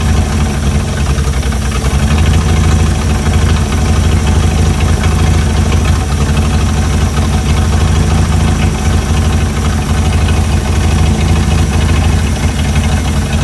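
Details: Chrysler CM Valiant with Hemi 265, second start after idle adjustment; steady deep even idle with regular beat, no misses or uneven knocks; perfect idle.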